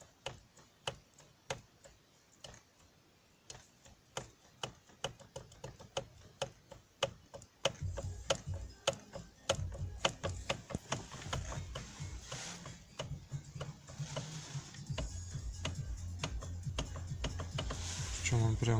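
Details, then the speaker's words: Toyota Land Cruiser Prado 120: sharp irregular knocks, about two a second, from inside the steering column as the steering wheel is turned; steering column knock. "проблема у нас такая у нас ступать это идет во время руля чем прям сразу вместе в рулевой колонке"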